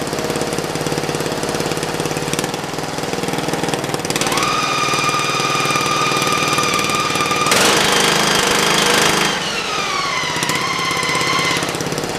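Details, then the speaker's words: Racing lawn mower test run in first gear: a steady high gear whine rising and falling with speed over the engine drone; the transmission is heavily overdriven versus its underdriven factory setup, so it is noisy but not bound up. "the transmission is pretty noisy because it's being way over driven I'm like its factor set up which is way under driven so the transmission is really noisy but it's not bound up"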